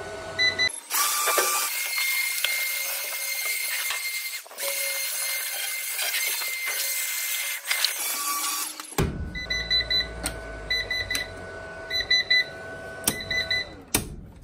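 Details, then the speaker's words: PIP2424HS 24V inverter showing error code 1: short, high, repeated fault beeps through handling noise. The inverter still works. The cause is a stuck or seized small cooling fan; the beeping was fixed and new fans were ordered. "error code one which means I think the fan is filed but the smaller fan running in a lot of defendants stop so I wouldn't be at all surprised if that has either seized up"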